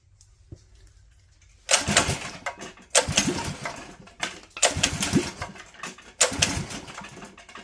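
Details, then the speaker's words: Predator 212 engine with carb rejetted to 95 main jet and .02 idle jet, idle screw turned in: four short bursts of firing, each catching about a second then dying; hard starting, possibly flooding, choke then opened. "so we might be flooding it so let's try opening the choke"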